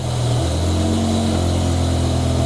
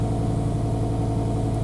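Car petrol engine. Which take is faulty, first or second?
second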